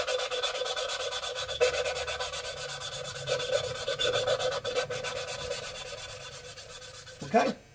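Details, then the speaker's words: Lapping valves of a Gen V LT4 cylinder head (2017 Corvette Z07 build) by suction-cup tool with compound: scratchy back-and-forth rasping strokes that get quieter and change tone as the valve face and seat smooth out. "and if you listen you'll hear the grinding and as the as the compound smooths out the surfaces you'll hear it get quieter you hear the tone change"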